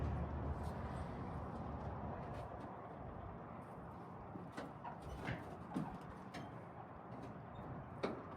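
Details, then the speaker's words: 1940 Dodge VFA32 winch truck, 85 years old, first start, with a major radiator leak found: the engine settles into a low, steady idle with an even beat and no knocks, and keeps running on its own. Normal idle. "Holy It's a runner. It is a runner."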